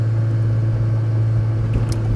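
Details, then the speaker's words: 1986 Saab 900 8-valve K-Jet after plugged injector fixed, rolling start from second gear under load: steady even drone pulling cleanly, immediate power, no stumble, miss or hesitation; healthy. "See, even when I just do a rolling start from second gear, immediate power delivery, immediate."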